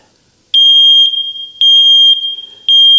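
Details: First Alert smoke detector, faulty, still alarming after its sensing chamber was blown out with an air hose: loud shrill half-second beeps about once a second without stopping. Continuous false alarm, cause not found.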